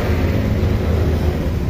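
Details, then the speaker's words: Honda Click V1 150i scooter, 23k km, after throttle body cleaning, fault reset and calibration: low, steady idle with an even hum, no surging, about 1617 rpm; normal idle. "Ayan, 1617, no? Ayan, sakto lang. Ganyan dapat mga paps, oh. Ayan, RPM, no? Standard."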